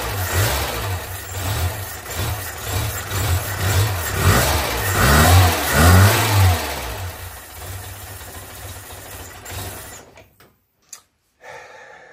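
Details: Renault Super 5 after a year and a half of restoration, started once fuel was flowing again after a fuel-hose issue was cleared: engine catches and revs in uneven blips, then drops off and stops; it runs under its own power.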